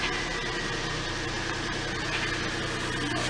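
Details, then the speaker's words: Datsun Go+ car starting after battery replacement with a new battery: engine settles into a steady, even hum just after starting, with no misses or knocks; normal idle. "superb see started amazing"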